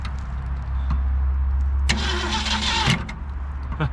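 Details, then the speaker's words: 1967 Ford Galaxie 500 with 289 V8, sitting for decades, gas poured down carburetor: slow uneven cranking, brief ragged catch that dies back to cranking; tries to fire but won't keep running. "she's wanting to fire she's trying we got new plugs and wires i was just going to see if she'd bark off without it"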